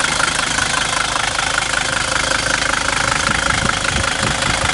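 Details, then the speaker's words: 1978 Mercedes 300D diesel with a new battery this spring idles with even clatter and a steady rhythm, with no misses or added knocks; it starts fine and the engine runs well. "but the car runs very good you know even binding just for the engine might be pretty decent"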